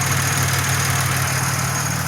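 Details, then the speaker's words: Grand Prix after a coolant system flush, running 20–30 minutes at idle with fans not yet on: smooth, steady low idle with an even beat, no stumbles or hesitation. "Yeah, man, it's been running for like 20-30 minutes now, and it's just sitting here idling nice and smooth. It hasn't hesitated not once. It's just been running great."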